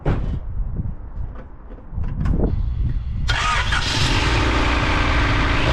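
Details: Rover 216 SLi, Honda D-series engine, first start after rocker cover gasket replacement: quiet cranking, catches about three seconds in and settles into a steady, even idle with no knocks or ticks; normal start and idle.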